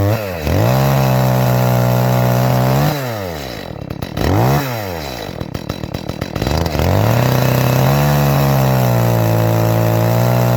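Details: Echo CS-310 chainsaw after cracked purge bulb replacement, cutting cherry: revs climb and bog through each cut, never a crisp scream, burbling top end; high-speed mixture sounds a little rich, to be leaned out.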